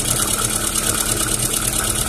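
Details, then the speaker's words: Engine started: fast, light lifter tapping at idle, expected to stop once oil pressure comes up; the noise later diminished and the oil light went out. "se ela parar de bater tucho praticamente já é a pressão que tá vindo boa tá certo"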